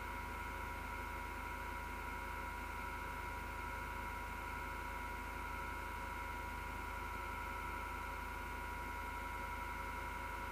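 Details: 6-year-old PC power supply fan: steady whirring hum with a coarse buzzing grinding rumble underneath, vibration felt through the chassis; the grinding began December 2015.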